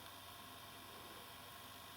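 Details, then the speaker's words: Ferguson Videostar 3V36 VHS recorder after replacing the noisy capstan motor, loading a tape: only a faint, even hiss with no whine or rumble; the new motor runs quietly. "This is it loading up. Yeah, that motor's a lot quieter now."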